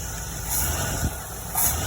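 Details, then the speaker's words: Hot rod just fitted with a new Holley carburetor, not yet adjusted, on fuel about 8 months old: steady, even idle with a slight cam lope, no stumble or misfire; slight smoke suggests it may run a little rich. "I mean, I ain't got no stumble to it. I don't know, man. That sounds pretty good."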